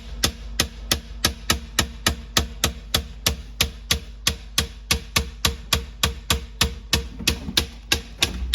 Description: Major problem - LG refrigerator is making loud banging knocking sound so many times a day. It does it at random times.